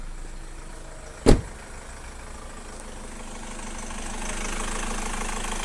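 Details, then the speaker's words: Car engine idling after replacing the drive belt over a suspected faulty No. 10 front pulley: low steady hum with one brief click, belt squeal gone; noise fixed, running normal. "เสียงปกติแล้วนะครับนะครับเป็นอันว่าเราจบงานไปครับ"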